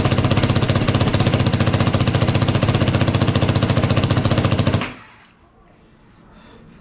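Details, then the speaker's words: Yamaha YFZ450 single after top-end rebuild, first start, revved: fast, even rapid-fire beat, no knock or rattle, shuts off cleanly; smoking from burning off spilled oil, return lines not on correctly; normal running. "That's the first start. Sounds good. Doesn't sound like it's uh knocking or anything. Sounds pretty good."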